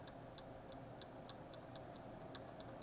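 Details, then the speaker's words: Spinning reel (550 SSG) with the drag locked down, oscillating: light crisp ticks about three per second. The main shaft rotates and turns the crosswind block, which clicks at each end of the stroke; the drag is not the cause. "basically what's happening there is that shaft is rotating and I know this because it will take a greater effort to turn that spool so it's not the drag that's causing that issue so basically we're having that shaft rotate which in turn rotates the block and can cause it to click"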